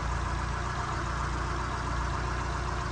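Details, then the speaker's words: Summer 1982 Ford Cortina MkV 2.0 Ghia automatic with a Pinto engine and automatic choke, heard with the bonnet open. It gives a quiet, even idle with a steady low hum and no ticks or knocks. Normal, healthy idle. "these Cortinas as I do, I can assure you that's a quiet Pinto."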